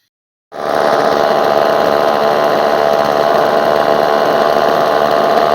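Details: Homelite Super 2 chainsaw, revived with fresh fuel, primed and adjusted carburetor, chain tightened: fires and settles into fast, steady two-stroke idle without surging or dying; earlier idled 20-25 minutes without missing a beat; healthy.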